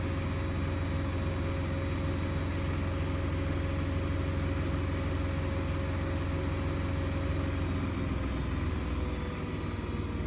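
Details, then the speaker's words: New Hoover DXC C49W3 Dynamic Next washing machine, half load in a 9 kg drum, spin cycle: loud steady roar with high whine, nearly 80 dB, peak 88, then pitch drops; excessive spin noise, cause unclear. "that's not on no washing machine should like be nearly 80 DBS"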